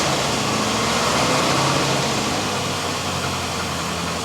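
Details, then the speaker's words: Rover P6 with 4.6 V8 in park, handbrake on, just started; steady, even idle with a quick regular beat and no misses or knocks, buttery smooth; microphone favours high notes over bass, so it may sound worse than in reality. "now to my ears in real life this sounds buttery smooth like butter as they say"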